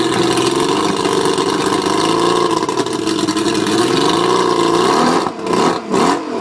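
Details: Mercury 135 outboard misfiring while revving: a rough, uneven, wavering pitch with stumbles and dropouts; the spark plugs are suspected but not confirmed.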